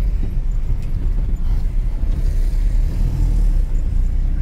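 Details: 1998 Ford F1000 4x4 at road speed: a deep, loud steady roar under the truck with no distinct knock; source not yet confirmed.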